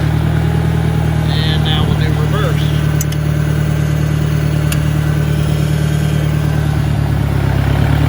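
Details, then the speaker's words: 1965 John Deere 1010 tractor at 1000 RPM in third gear: constant low droning growl from the transmission, louder than a 1963. Owner suspects worn roller bearings, shaft end play needing adjustment or bad cage bearings; cause unconfirmed. "third gear is a little bit quieter but there's still a one sounds to be to me anyway a fairly significant amount of noise as compared to the 63 in first and second"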